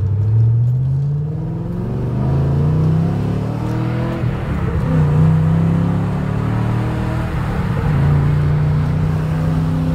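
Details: 2012 Camaro SS (fifth generation) while driving: engine drone and tyre rumble with no high whistle, after tape over the split in the mirror stopped the wind whistle.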